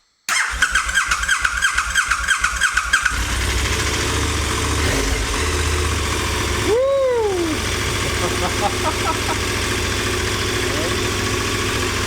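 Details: 2021 KTM 1290 Super Adventure S, first start of the rebuilt twin engine after reinstallation: a few seconds of starter cranking, then it catches and settles into a steady, even idle with no stumbles; runs fine.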